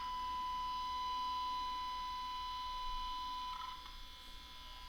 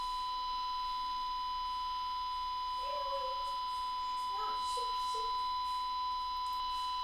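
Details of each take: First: Zenith 5D810Y radio capacitor outside-foil test, 1 V 1000 Hz signal: 1 kHz tone goes practically quiet once ground lead attached in this orientation, so outside foil is correctly on the ground side, helping eliminate noise. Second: Zenith 5D810Y All American Five radio restoration, outside-foil test with 1 kHz signal generator into capacitor via alligator clips: steady test tone fairly loud in this lead orientation, quieter when reversed, so outer foil is not on the grounded side.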